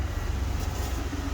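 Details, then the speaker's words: 1997 Ford F Super Duty with 5.7L 460 V8: deep, steady, even idle that is a bit loud because of an imperfect exhaust repair; no knocks or misses, engine sounds good; normal idle (truck has separate transmission shift faults). "Truck sounds good. He tried to fix the exhaust and didn't do it perfectly, so it's still a little loud."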